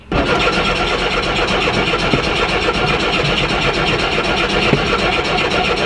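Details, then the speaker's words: VW Rabbit pickup restarted hot after about an hour of driving: brief crank, won't start until the accelerator is pressed, then catches into a busy, slightly uneven fast idle. Happens every time when hot, cause unknown. "right it does that see it doesn't want to doesn't want to turn on but if i put my foot on the accelerator"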